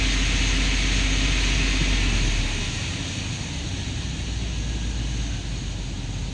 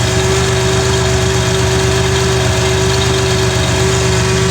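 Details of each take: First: Chevy truck with lean and misfire codes on both banks and maxed short-term fuel trims, throttle raised: loping, uneven roar with misfire stumble; massive vacuum leak somewhere, unrepaired as owner only wanted the cooling system fixed. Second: Car under diagnosis for an intermittently lost 5-volt reference at the MAP sensor, possibly heat related: smooth steady idle, constant low drone, no misfire or tapping; running normally at the moment.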